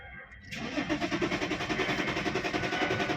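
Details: 2010 BMW E60 3.5 diesel (285 hp), errors 6292/6293: the starter cranks steadily at about 3.5 pulses a second but never fires, because the fuel pump is not running (wires disconnected).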